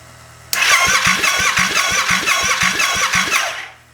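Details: Honda Grom fitted with a 700cc Yamaha FZ-07 engine, first start-up with the fuel pump running: starter spins, the engine catches within half a second and settles into a sharp, even bark for three seconds, a clean first start.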